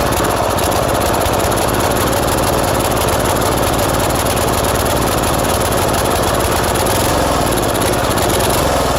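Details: Old tiller engine running after gas was added to the tank, throttle low. Steady, slightly lumpy single-cylinder chugging with no misses; the carburetor leaks at the fuel pump and runs far too rich even at the minimum setting, nearly flooding.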